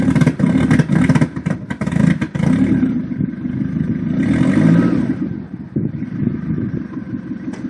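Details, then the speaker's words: 1992–1996 Toyota Camry engine clattering and surging unevenly, revs sagging until it nearly dies after a hard start; it had white smoke and stalled repeatedly before the standalone wiring harness, which afterwards fires it up every time. "I don't know if you guys remember, but if you check out the very first video of this Toyota Camry that I started, it had a very hard time starting. It put out a lot of white smoke. It would repeatedly die 3 or 4 times when I wanted to start it."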